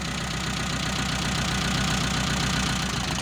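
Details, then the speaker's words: Mitsubishi Colt T120 SS fuel-injected engine with a misfire, cylinder-balance test with one plug lead pulled: idle turns uneven and lumpy, so that cylinder was firing and working; cylinder 4 later showed no change. "Silinder nomor satu. Sekarang silinder nomor dua. Ada juga perubahan di sini . Sekarang nomor tiga."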